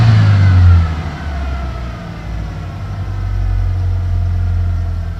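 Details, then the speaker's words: 1991 Ford Ranger 2.3L, boggy and misfiring since a cam belt replacement, restarted after cleaning the EGR valve and MAF: idle surges and sags roughly, only slightly better. Owner suspects the idle air control valve, valve timing or ignition control module. "might have to do the ID control valve again because it's kind idling kind of hard"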